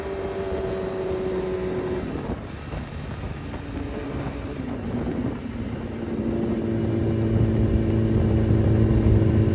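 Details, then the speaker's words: Suzuki Hayabusa with fully built motor and wild cams, after cleaning clogged fuel filter: note dips then climbs steadily, pulling cleanly all the way through toward 11,000 rpm, where before it stopped at 7–8,000; healthy full-rev acceleration. "All right. So, as you saw in the video, now she revs all the way through."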